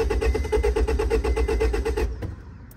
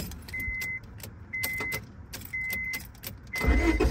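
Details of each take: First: 2004 Honda Civic that won't start, clicking at the fuse box: steady starter churn about seven beats a second for two seconds, never catching, then stops; cranks without starting, suspected bad contact in a fuse-box part needing replacement, fuel also low. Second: 2004 Honda Civic that would not start and clicked at the fuse box, cranked after refitting a fuse-box part: chime beeps about once a second, then steady starter cranking; the fault is intermittent and the part needs replacing.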